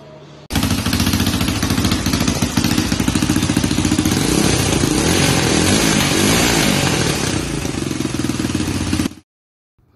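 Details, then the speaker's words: Rebuilt Honda 300EX single cylinder running briskly and evenly through idle and throttle blips with a sharp exhaust crackle. It runs pretty good, though the exhaust donut gasket still leaks. "Well, that's going to do it for this video, guys. This thing does run pretty good."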